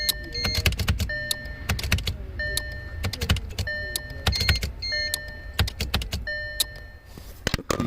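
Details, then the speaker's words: 2012 Audi Q5 with random loss of power steering, parking brake and engine power: bursts of rapid clicking buzz over warning chimes as a faulty relay cannot close its contact, opening and closing quickly. "the buzz now that buzz is from the relay not being able to close the contact like it uh opens and closes real quick"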